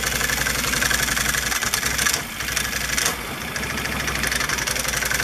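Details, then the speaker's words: Can-Am ATV idling: loose metallic clatter from old CVT clutch, rattling due to worn slider shoes (about 50 inside, both sides); before slider shoe replacement. "when a clutch gets old it rattles like a son of a listen to it hear that clattering that's that noise"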